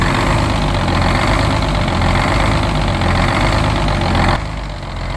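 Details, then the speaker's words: 1971 GMC 9500 with Detroit Diesel 6-71 two-stroke, recently started after 26 years: low idle with an uneven, hunting beat; loping idle because the wrong idle return spring is fitted. "so you hear it kind of loping like that. It's because we have the wrong idle return spring in it."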